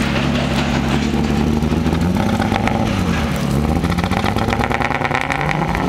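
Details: Mazda MX-6 LS at low rpm: ragged, popping exhaust note with irregular stumbles as revs wander, smell of gas; very weak spark, owner suspects distributor, plugs and wires seem ok; misfire eases at high rpm; engine misfire.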